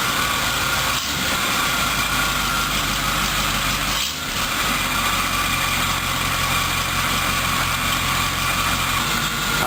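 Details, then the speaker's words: 1976 Corvette V8 after project work: steady even idle, smooth low rumble, no misses, knocks or hunting; runs a lot smoother and normal. "as you can see she runs a lot smoother um and you know should just sit there and idle L as long as you want her"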